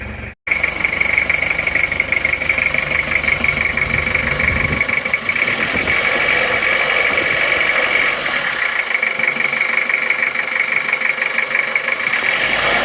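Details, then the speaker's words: Toyota Kijang diesel 2L just started after rebuild for oil burning from 2 mm ring gap, new liners, original pistons reused: steady even idle clatter, no blow-by huff or misses, clean exhaust, smooth healthy engine. "suaranya halus betul ya lihat asap knalpotnya baru saja hidup baru saja hidup Kenapa bersih"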